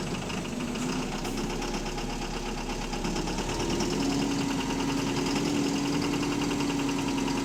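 A steady diesel idle with a light, fairly even tapping of about four knocks a second riding over the rumble; points to a bottom-end knock.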